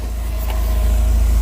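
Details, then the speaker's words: Volvo 740 rescued from scrap, running after fitting a newly sourced front half of the exhaust. Deep, even exhaust rumble with no ticking or puffing at joints, fumes exiting tailpipe; exhaust sealed, no leaks, normal running. "there's no leaks. I can hear it. And there's exhaust fumes coming out the end. So that's always a good sign."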